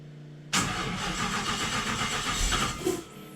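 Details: Supercharged Nissan VK56 V8 in a Nissan Gloria on a Link ECU, first start, fuel pressure 265 kPa: a short crank, then it fires straight away and runs evenly. Normal start and idle.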